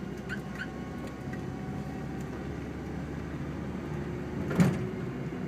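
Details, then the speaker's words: 2002 Saturn SC, originally SC2 with a swapped-in SOHC engine, on a test drive: rumbling with a sharp, violent thud as the automatic shifts; cause unconfirmed, torque converter or transmission mount with missing bolts suspected. "maybe if you uh pay real close attention you can hear how it's kind of uh making those rumbling noises every time it shifts"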